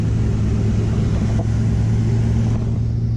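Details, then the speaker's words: 1985 Ford Mustang LX 5.0 V8 after a cooling system flush, cruising on the road: deep, steady V8 rumble, smooth with no ticks or rattles; temperature and oil pressure holding normal, engine running healthy. "temps are still holding pressure's still good i think we might be all right he is all about this man stuck stuck [Music] running good sounds good temps good"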